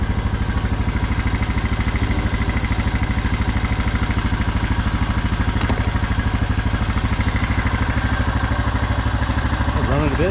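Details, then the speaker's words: Honda Rubicon ATV after stalling in water and swallowing water into the exhaust and oil, now with new filter and new spark plug fitted: fires right up, steady even single-cylinder thump at idle, no misses or knocking; normal idle. "all right got the new filter in a new plug in fired right up sounds good"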